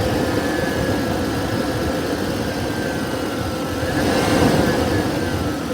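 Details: 2011 Toyota Tacoma, engine running: steady thin whir over the idle, rising slightly with revs, from the front of the engine by the belt-driven accessories. Owner unsure whether it is normal.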